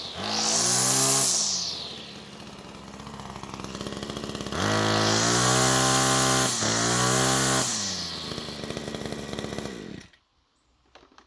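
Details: Salvaged Sterwins PBC1-26L-AB.2 26cc two-stroke brushcutter after cleaning tank and carburettor and adjusting the carburettor to stop it faltering: fires up, revs cleanly twice with rising scream, drops back smoothly; even firing, healthy engine.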